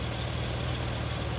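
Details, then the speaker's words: 1999 Ford Windstar 3.8L V6 after a harmonic balancer fix: its outer weight had spun on deteriorated rubber, so it was re-aligned using a timing light. Idle is now a steady low hum, slightly uneven from an unrelated check engine fault, with no more shaking. "and the idle's off just a little bit because of whatever's causing the check engine light, but you can look and see how much smoother the engine is moving. It's not shaking anymore."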